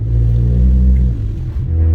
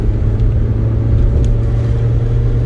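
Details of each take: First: 416 GTi: heavy, booming low drone while crawling along at light throttle, far too loud; exhaust leak. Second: 416 GTi after the exhaust was welded and patched again: deep, even rumble with no blowing, ticking or puffing; the exhaust sounds sealed, much better, though unlikely to last long after four or five welds.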